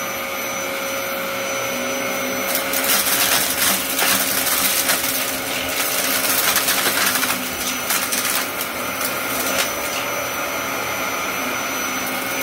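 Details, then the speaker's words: Dyson DC07 upright vacuum running normally with a steady high-pitched motor whine, constant fan tone and light debris rattles; clutch-driven brush roll with two belts, moderately loud but quieter than UK versions. "this machine is it's not loud but it's not quiet either the definitely the UK versions were louder"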